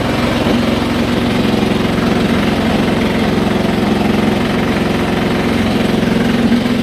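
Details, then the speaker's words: Haier i-Pro Series 7 HW100-B14979S 10 kg washing machine, under 10 months old, 1400 rpm spin with light load: constant heavy roar like a pneumatic drill from deep at the back; bearing failure suspected. "it really does sound like a pneumatic drill going off in the kitchen so i'm hopeful that we'll we'll get it resolved"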